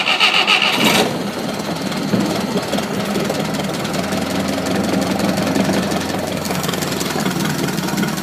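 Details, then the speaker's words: 1972 Atomic 4 marine gasoline engine, ~1,000 hours, cold January day, choke applied: loud catch on starter, then steady slightly lumpy idle that holds without stumbling; healthy cold start. "It, like I say, runs very well. Starts pretty quickly. Obviously, give it a little choke."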